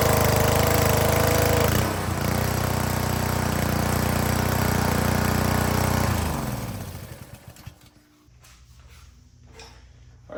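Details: Honda GCV160/GCV190 pressure washer engine after carburetor cleaning and reassembly: small single-cylinder runs smooth and even for about six seconds, then shuts off and coasts down; healthy running after repair.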